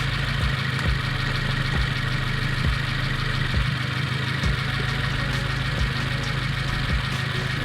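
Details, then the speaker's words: Subaru WRX (2015+) with an aftermarket J-pipe, warm engine idling: low pulsing exhaust note with a faint hissy rattle like air escaping; exhaust leak confirmed by soap bubbling at the flange, later sealed with copper gasket maker. "it just sounds a little rattle e it sounds like some air escaping which means I'm pretty sure I have an exhaust leak"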